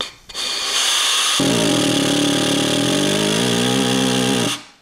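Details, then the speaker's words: Ford C4 transmission overhaul air check: compressed air into governor passage; blast of air then loud buzzing rattle with steady low hum about three seconds as governor valves dither — valves nice and free, normal. "Okay, that obnoxious sound is letting me know that those valves are nice and free."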